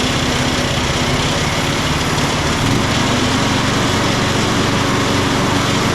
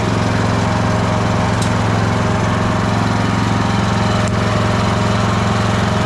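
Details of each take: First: Craftsman LT1000 riding mower after blade deck belt replacement (AYP 144959). Small single-cylinder engine at steady speed with a dense whooshing roar; the blades keep spinning even with the deck lever disengaged, a fault. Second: Craftsman LT1000 riding mower after blade deck belt replacement (AYP 144959). Steady single-cylinder chug at about four beats a second with an even drone, no squeal or slap; deck runs fine.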